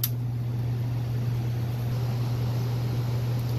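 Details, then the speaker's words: Gas furnace about 15 years old that ran a few minutes then shut off, just after cleaning carbon off the flame sensor rod; on restart with gas and breaker back on, a steady low even hum with no cutting out, running normally. "now the furnace should check on yep it's making noise"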